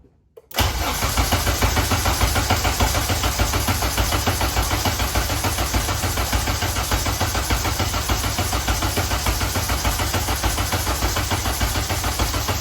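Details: K-swapped Honda Civic race car after two years apart, cranking on the starter to check oil pressure before first start: even cranking at nearly two beats a second, no catch or knock; reached 50 psi oil pressure.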